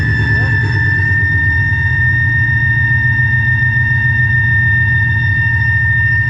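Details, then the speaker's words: Idling car, warmed up: loud steady high-pitched squeal at constant pitch, starting after running a while, not RPM dependent, comes and goes; owner earlier suspected power steering pump, plans to pull belts when cooler. "really confused because it'll start squealing after the engine's been running for a little while, and then it gets really bad. But it doesn't seem to be RPM dependent. It kind of comes and goes."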